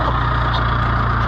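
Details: International IH 584 diesel tractor after clearing trash from the fuel line's 90-degree banjo bolt elbow: steady, even diesel chug at idle with a regular low beat, no misses or knocks; healthy normal idle.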